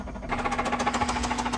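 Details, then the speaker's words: Honda Civic EP3 Type R K20 engine, worn and dying: sharp hard knocks about thirteen a second over the idle hum; heavy internal engine knock at idle. "I have never known a car have an engine knock an ep3 have an engine knocked like this have a listen"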